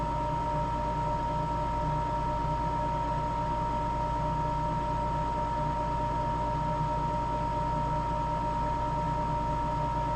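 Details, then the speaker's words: Napoleon NPS40 pellet stove running after a successful ignitor and ignition snap disk replacement, while waiting for the snap disc to click. Constant even fan hum with a steady mid-pitch tone, no rattles or scraping; running normally. "Alright, so this repair was successful. Let's wait for it to click off. You'll hear the snap disc change."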